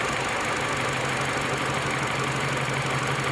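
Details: Mini Cooper with misfire on cylinder 4 per OBD, then jumping to cylinder 3; uneven, stumbling idle with an irregular thump about three times a second, a dead cylinder, faulty fuel injector suspected.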